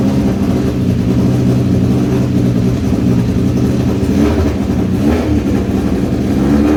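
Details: Rapid Rattler first start after new cam belt and valve timing check, cam timing set to 133 inlet and 120 exhaust (exhaust was 138), plugs back in, belt tension okay; engine runs smoothly and picks up cleanly on light revs, no rattle or tapping.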